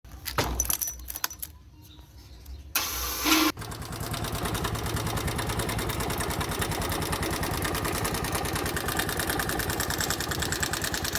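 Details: Bajaj single-cylinder motorcycle engine starts and idles with a steady, hard tapping knock from a worn piston needing replacement.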